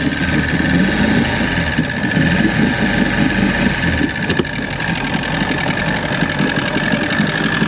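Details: 1996 Force 120hp two-stroke outboard on a Bayliner Capri, warming up: busy, steady idle burble with faint constant whine above it, no knocking or stumbling; running smoothly.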